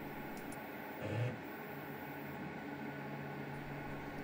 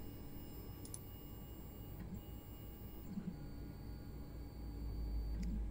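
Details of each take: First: Anycubic Mono X resin printer after levelling: steady low buzzing whir with a brief louder crunch as the Z stepper motor grinds, because the Z stop sensor signal arrives late and it overtravels; fixed by a spacer lowering the sensor plate. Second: Anycubic Mono X resin printer homing its Z axis after a spacer fix that lowered the Z stop sensor plate, with paper standing in for the vat/FEP: a quiet, steady motor hum with faint ticks and no crunching or grinding, so homing is normal.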